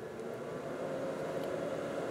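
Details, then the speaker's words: Noisy heater blower motor after swapping original bearings for Japanese EZO 625Z or 625ZZ (5x16x5 mm) bearings: smooth even whir, steady mid-pitched hum, no rattle or vibration; now much quieter, fixed. "so it would appear that taking out the bearings that came with it throwing him in the trash and replacing them with much better japanese bearings has made it a lot quieter"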